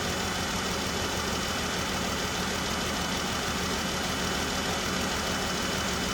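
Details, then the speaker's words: 2013 Jeep Wrangler with P0303, codes for all six injector circuits open and a flashing check engine light. Rodent damage shorted and fried the injector driver in the computer: an uneven, stumbling idle with an irregular shake. Engine misfire from missing injector signal (PCM fault). "So the rodent damage, apparently it shorted out the apparently it shorted out and fried the driver in the computer when the rodent was chewing on it."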